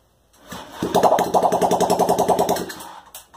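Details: Honda Ruckus project bike, carb refitted, throttle worked by hand, no exhaust fitted: brief burst of harsh rapid popping, catches about two seconds then dies; unmuffled small-engine start.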